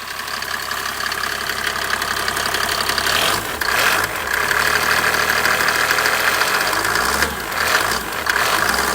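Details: Mercedes OM603 turbo diesel: clatter with a hard irregular knock through idle and rev blips; engine knocking, source still to be traced.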